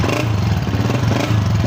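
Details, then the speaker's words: Honda CG125 2017 single-cylinder, cold, owner complaining of missing and engine noises: rough idle with raspy exhaust from cracked silencer and light tappet ticking even cold, misfiring noticeably; before tune-up. "Silencer जो है इसका फटा हुआ है, ठीक है। Tappet इसकी आवाज़ मार रहे हैं, हालांकि ठंडी गाड़ी हुई है फिर भी आवाज़ मार रही है।"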